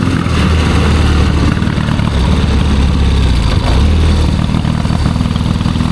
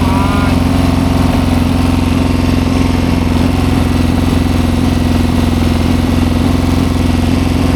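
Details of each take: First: 1972 Triumph Bonneville 650 twin, long unridden, ride test: lumpy, uneven chugging beat that won't pull cleanly, falls flat around 4,000 rpm; running really rich. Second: 1972 Triumph Bonneville 650 twin, revived after sitting roughly ten years; with the choke finally turned off it settles into a steady, even idle at about three beats a second with no misfire. It runs cleanly now.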